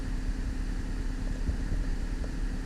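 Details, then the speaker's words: 2004 Cadillac CTS 3.6L V6 after replacing and programming the PCM, which had a faulty cylinder 3 injector driver causing a severe cylinder 3 misfire (P0203, P0300, P0303); steady, even idle with smooth low rumble, no stumble; misfire resolved. "it feels feels good now yeah as you can see guys we replaced the pcm we had a terrible misfire on piston number three but it looks like um it's been take taken care of"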